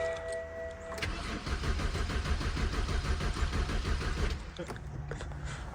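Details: BMW E82 drift car on its first start attempt after a fuse swap: the starter turns the engine about three times a second for three seconds, never catches, then stops; no fire because the control unit has no power.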